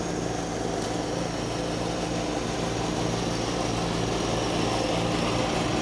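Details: 1989 John Deere RX75 riding mower cutting thick grass: a steady, even engine drone that holds its pitch, with no knocks or surging. The deck may be cutting a little low and throws grass everywhere; it is running normally under load.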